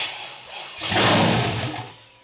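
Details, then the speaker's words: 1978 El Camino with rebuilt cammed 6.0 LS, first fire-up: brief crank, then a ragged surge on a little throttle that fades instead of settling; suspected too little idle air for the cam, needs tuning. "probably just not getting enough air because of the cam go for it yeah she hot oh a little bit of tuning in she's gonna sound beautiful"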